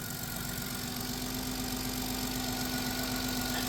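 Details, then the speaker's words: 2000 Chrysler Grand Voyager SE, 114,000 miles, first start after sitting about 8 years: fires right up to a smooth, quiet, even idle with no ticking or knocking, though the alternator is seized and not spinning; normal idle. "And it fires right up. And it's so quiet. It's so quiet because nothing's spinning. It just fired right up."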